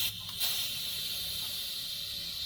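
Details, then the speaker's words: 2013 VW Tiguan after intake camshaft failure, leak-down test on cylinder 1 with the cams out and all valves shut, using a borrowed tester: a steady soft hiss of shop air with a faint rush past the piston; almost no leakage, healthy cylinder. "and it's got almost no leakage on cylinder 1."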